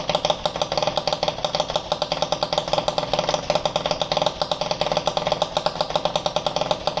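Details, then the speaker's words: Italjet Charger with 70cc Stage6 Sport Pro MK2 replica exhaust on first run after assembly: harsh, raspy two-stroke crackle stays very loud even at low revs, as it was at 50cc. "as you can hear the scooter is very very very loud which was loud as 50 cc as well I don't know why this Pro replica it sounds like this on this engine it's it's crazy"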